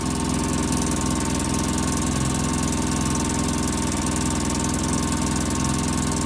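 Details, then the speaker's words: 2005 Polaris Ranger XP 700 EFI, just started cold, after throttle body and TBAP cleaning, rich exhaust smell: steady even idle slightly fast, no knocks; high idle, throttle cable assumed misadjusted. "okay I just started it today and the idle still seems a little high I smell Rich"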